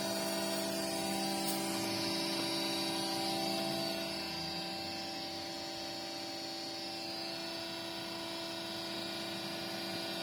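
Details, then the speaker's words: Creality Ender 6 3D printer: steady loud whirring hum with several fixed tones coming from the base, while the top fans are not spinning; cause suspected, not confirmed. "just showing that the fans on the top are not spinning. The sound is coming from the bottom."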